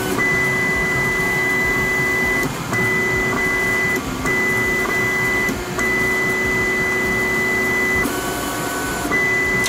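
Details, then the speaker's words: Voron 2 3D printer homing on the nozzle, picking up its Euclid probe and running quad gantry leveling. A steady stepper hum with a clear high whine that stops and starts between short moves. Normal leveling. "so if i just do a i think i can just do this it's going to home on the nozzle grab the probe and do a qgl and hopefully this doesn't take too long"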